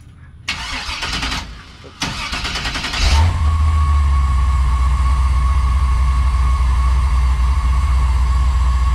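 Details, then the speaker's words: LS V8-swapped Volkswagen Beetle, first start with newly installed turbo mufflers, still cold: brief cranking, then deep steady burble settling into even idle without misses; quiet, sounds really good, normal idle. "now that's that's the sound i can live with like when we got floor in it and everything like i can live with that yeah it sounds really good"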